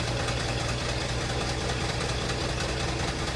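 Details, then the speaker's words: 1974 Ford F-250 Ranger SuperCab straight-six after a full tune-up with new spark plugs and wires: steady, even idle with a smooth low thrum, no misses or knocks; engine sounds healthy, normal idle. "Woo! Sounds pretty gosh darn good. That sounds pretty good."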